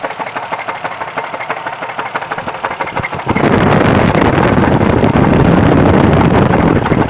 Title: Engine knock what is it?